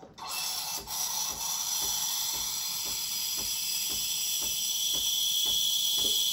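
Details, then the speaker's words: Breville Barista Express BES870 steam wand aerating milk for a latte, jug at an angle, wand tip near the surface for the first 10 seconds. A bright, airy hiss with soft regular ticking as the milk swirls; normal aeration into creamy foam. "You want to hear this hissing noise in the first 10 seconds. This noise means you're aerating and making the milk creamy and bubbly."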